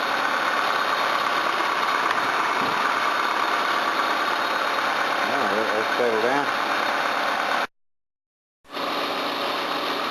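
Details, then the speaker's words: Camry or Hyundai engine after reassembly and coolant top-up, settled at idle; steady even hum with no knocks, misses or hiss, running well with no sign of head damage. "it's good it's running well and doesn't show any signs of head trauma"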